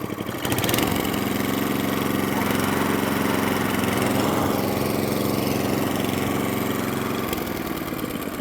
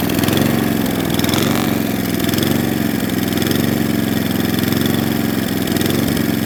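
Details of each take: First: Atco Balmoral cylinder mower, unrun for 9 years, after tightening a loose carburettor drain screw that leaked fuel: small single engine holds a steady, even beat with no stumbles, then winds down and stops cleanly; runs beautifully, no fuel leaks. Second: Atco Balmoral cylinder mower unrun for nine years: small engine hunts slowly up and down in speed; lean mixture, carburettor fuel screw then opened about three-quarters of a turn.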